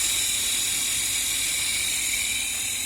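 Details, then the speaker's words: Engine cooling fan motor after removal, cleaning of rust and dirt and reassembly, bench-run on a battery: smooth, even high whir with no whistle or scraping; the earlier whistling and noises are gone, fan runs healthy. "все по крайней мере с виски и всяких шуму пропали"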